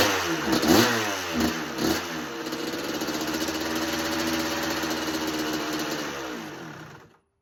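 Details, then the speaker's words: 1986 Kawasaki KX125 two-stroke with spark restored, clean carb, idle screw turned up, no choke: sharp throttle blips, held rev sags away, dies off throttle; won't idle, cause unconfirmed. "The only issue with this bike is it's still not idling yet."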